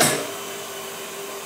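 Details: Spare electric motor for a dairy milking-system vacuum pump, switched on to check rotation direction; the old motor, probably 60+ years old, overheated in summer and shut off. A steady even hum with a faint constant tone and no knocking: normal running.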